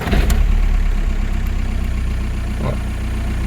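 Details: VW Golf IV GTI TDI 150 hp ARL diesel, first start after oil and filter change, ignition cycled to prime: cranks briefly, catches cleanly, settles into steady low diesel clatter at idle with no knocks or misses; normal start.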